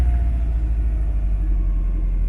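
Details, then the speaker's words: Subaru EJ25 engine swapped into a VW Beetle, Volvo turbo Bosch fuel pump, just warmed up: deep even quiet rumble, idling a little low, roughly 700 to 1000 rpm; owner suspects a vacuum leak. "one thing is she idles a little low i think i might have a vacuum leak somewhere i gotta take a care of"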